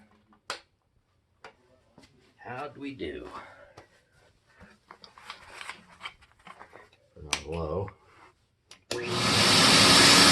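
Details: Compact TriStar C8 vacuum, reassembled after Ametek motor bearing replacement and greasing: rattling from handling, then a strong, even, airy roar with no grinding or rattle; runs really nice, healthy.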